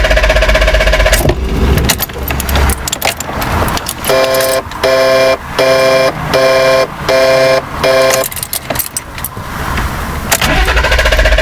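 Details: BMW E34 520i with high hunting idle, put into Drive: engine stalls, repeated failed cranking before it stumbles back; owner asked if vacuum leak, later found intake air temperature sensor reading -36 °C, suspected cause.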